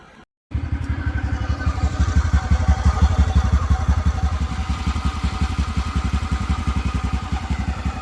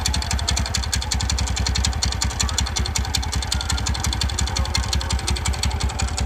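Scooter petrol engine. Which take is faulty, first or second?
second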